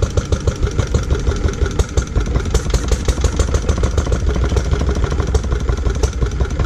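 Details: Lister D petrol single-cylinder barn find, first start in 20+ years after restoration: thumps bunch and stumble instead of holding steady pace, jumpy. Owner suspects timing adjustment and carb settings needed; uneven running.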